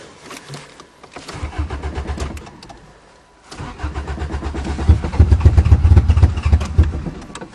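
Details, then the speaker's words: Toyota at a cold start: the starter cranks in steady bursts and the engine catches briefly, dies and cranks again, same as last year. No fuel pump sound is heard, and a stuck fuel pump is suspected. "oh now you're teasing it's doing the same thing as last [Music] year I can't hear the fuel pump probably is a stuck fuel [Music] pump"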